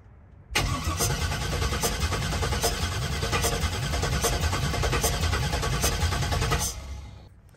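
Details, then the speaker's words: LS-swapped Crown Vic cranked at full throttle after a valve cover inspection, with passenger-side intake valves found leaking: an uneven, lopsided cranking rhythm. The owner suspects a weak or missing cylinder, probably driver's side, but is not sure. Uneven cranking compression. "so I don't know how well y'all can hear that but it still sounds like it has a missing cylinder I can't tell which side it is I'm pretty sure it's driver's side but I'm not positive"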